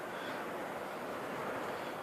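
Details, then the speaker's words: Honeywell tower fan after opening and lubrication with WD-40: steady, even rush of air with no catching or wavering, starting without hesitation; the fan now runs smoothly at constant speed. "And there you go. See, this time it didn't hesitate at all. Just a little lubrication."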